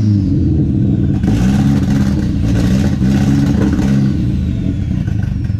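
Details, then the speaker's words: KA-T engine with new Pulsar PTX 30 Series turbo, after nearly two years sitting, fuel tuning in progress: loud low revving with uneven, lumpy pulse that clears a little each time but still runs rough. "what I'm doing is doing a little bit of fuel tuning trying to get it's a clear up so just lay out and listen you can hear it clear a little more each time"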